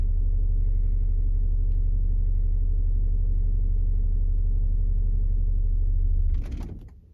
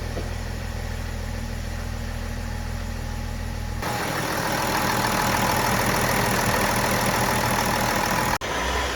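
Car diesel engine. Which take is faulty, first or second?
first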